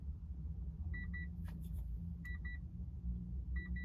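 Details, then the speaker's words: 2004 Subaru Outback after its battery was fully drained and recharged: flashing check-engine light and high double beeps about every 1.3 seconds over the idle, also heard with the engine off, while the engine runs smoothly; unexplained warning beep. "но моргает чек и появился вот такой звуковой сигнал подскажите пожалуйста Может кто-то с этим сталкивался Может кто-то знает что это такое причём он наблюдается и на на заглушенном автомобиле в том числе"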